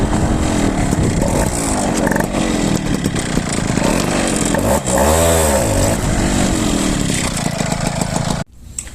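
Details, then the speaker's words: Piaggio Ciao moped with new 65cc Polini kit, accelerating; variator pulley closes suddenly, causing a hole on pull-away, not from carburetion. Buzzy two-stroke revs hard but pitch sags midway; bog on pull-away from too-soft variator torque spring, to be replaced with a stiffer one. "Alors, tu as vu qu'est-ce qui se passait lors de l'accélération ? Donc c'estàdire que la joue se rapproche comme ça. Donc on va changer le le ressort de poussée parce qu'il est trop souple."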